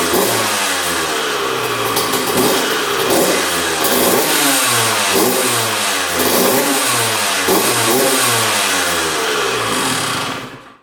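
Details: 2001 Honda CR125 two-stroke dirt bike, first start after fix-up, choked: crisp revs rising and falling cleanly about every second, no misfire or knocking; running pretty darn good, normal.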